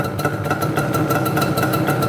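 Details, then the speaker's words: Banshee two-stroke, started first kick: crisp idle with an uneven, burbly popping beat and a blubbery edge; a little on the rich side. "Little on the rich side."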